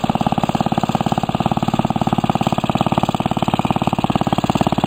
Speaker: got the WM be finished with the decals on it so we're gonna gonna crank it up let it run a little bit